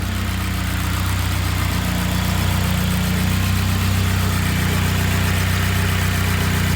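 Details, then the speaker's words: Turbo K24-swapped BMW E36 after head gasket repair, fresh restart with a little throttle while topping up coolant: steady deep drone, even firing, no knocks or misses; turbo spooling, running good. "Sounding good. Bringing some coolant. See if the turbo's turboing. Yep. Turboing. Going good."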